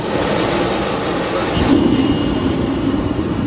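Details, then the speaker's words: Shop heater converted to burn waste oil, firing up on used oil: steady, even low roar with no sputter, pulsing or misfire; burner running normally, smoking only briefly at start and shutdown. "So let's fire this beast up. And it's actually running on a used oil right now."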